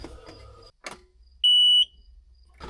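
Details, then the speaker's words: Auction skid steer after a full teardown and reassembly, battery just hooked up, key switched on: one steady high beep lasting under half a second, the normal key-on warning; it then started and ran. "I got radio normal blinking lights in."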